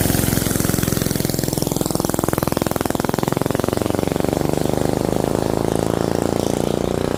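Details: Rebuilt non-hemi Predator 212cc single with budget performance parts and added fuel pump, first start: quick regular popping that settles then picks up speed, firing every stroke, no stumbles or knocks.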